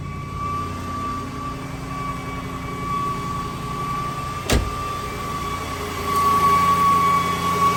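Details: 2008 Jaguar XJ, engine running with battery light on dash; steady high-pitched whine near one kilohertz from the original alternator, which failed; alternator whine.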